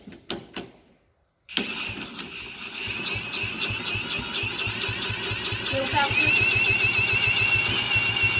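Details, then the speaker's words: 1986 Honda Fourtrax 70 ATV, not run in years after carburetor trouble, spun over with an impact tool, ignition on: fast even turning with whirring tool and no firing pops; cranks but won't start, owner unsure it's getting fuel. "easy all right so I don't know if we're getting fuel doesn't sound like it at least I don't know if it's getting fuel didn't even sound like you're wanted to fire"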